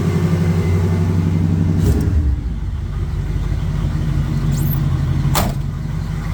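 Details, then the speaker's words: AMC 360 V8 cold start at about 20°F after sitting two weeks, after valve cover and oil pan reinstall: low rough idle with a light fast tick about three per second from an exhaust leak. "sounds good and uh the ticking that you're hearing is an exhaust leak"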